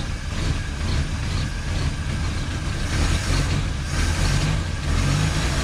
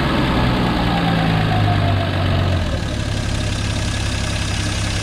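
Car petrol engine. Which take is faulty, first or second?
first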